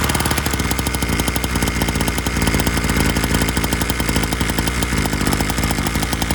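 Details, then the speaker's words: Syx Moto 50cc dirt bike cold-started on choke before the idle screw adjustment; a rapid popping beat with a buzzy, slightly uneven note as it runs rich and fast, a rough fast idle on choke. "We'll put the choke on, and let me go ahead and crank it up. Got our throttle here, and see if we get it choked up."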